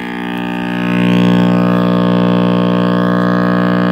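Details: RCA Victor X551 vintage tube radio at first power-up after restoration and power cord rewiring: loud steady low buzzing hum from power-on, no music; owner suspects last-soldered filter capacitor, reading unconfirmed.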